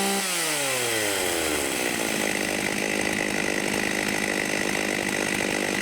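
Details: Vintage 1989 Husqvarna 50 two-stroke chainsaw, sat years with old gas, after carb clean and tune-up: pull-start catches and climbs straight to a clean, even high-rev scream with no stumbling; carb set right, normal running.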